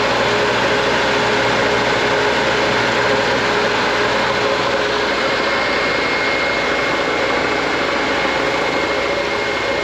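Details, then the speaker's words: Air compressor, Harbor Freight pump, new pressure switch, filling from zero: loud even motor and pump drone, steady hum, no knocking or squeal; building air normally. "so with the new switch in there, let's wait for air to come up. Starting to hear it huff and puff a little bit."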